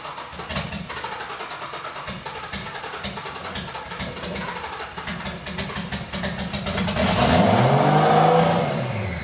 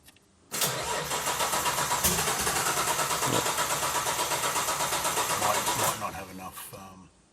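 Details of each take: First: Turbo Nissan GT-R RB26 engine with drive-by-wire individual throttle bodies, swapped into a Datsun 240Z, first start with no exhaust fitted: several seconds of cranking with even rapid ticks, then catches and roars very loud as revs sweep; healthy. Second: Nissan RB26 GT-R engine swapped into a Datsun 240Z, first start attempt with no exhaust after oil pressure confirmed: starter churns evenly about five seconds without firing; cranks but won't start, throttle control mapping suspected.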